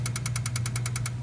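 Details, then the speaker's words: Truck no-start after swapping in a different FICM and harness: sharp even ticking about ten per second over cranking hum, one injector (possibly number seven) chattering, never catching; failed injectors, full set needs replacing. "it's the only one chattering so we're looking at injectors a full freaking set that sucks"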